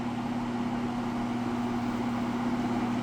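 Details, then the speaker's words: Window box fan restarted after long disuse: constant motor hum, steady low tone, even air rush over blades, louder than remembered; cause unclear, possibly disuse. "I mean, it's not loud by any means, but I don't remember it being this noisy. I thought it was a bit quieter if I remember correctly, but it also hasn't ran in a while, so that could be it as well."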